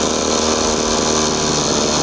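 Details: Two-stroke brushcutter with Kisan Kraft carburetor replacing Mitsubishi carburetor that died off choke: steady high buzzing howl held at full revs without stumbling or surging; running cleanly.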